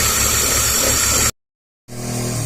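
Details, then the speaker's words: 2003 BMW 325xi petrol engine at idle with occasional light-load misfire and lean codes; loud steady hiss heard at the back of the intake, a vacuum/induction leak, possibly at the MAF sensor bellows or a small nipple. "the sounds like this thing is that our vacuum we can hear hissing noise in the back area of the intake"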